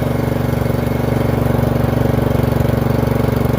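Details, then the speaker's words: Free Murray 30" riding mower after fitting a new Amazon replacement carburetor (old one surged): steady, even putter under way with no misses, knocks or surging; runs healthy; blades still won't engage. "We're moving. Sounds good, actually."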